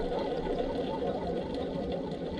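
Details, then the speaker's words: Old removed alternator, pulley turned by hand: dry, gritty, even scraping rasp and slight pulley wobble; worn alternator bearing, being replaced with a new unit. "yeah you can hear that's not it's not a good sound in there"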